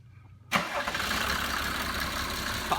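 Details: 1980s Mercedes-Benz diesel after rebuilding and pop-testing injectors with new nozzles and combustion chambers: catches cleanly after a short crank and settles into even idle with usual diesel clatter, no smoke; fixed.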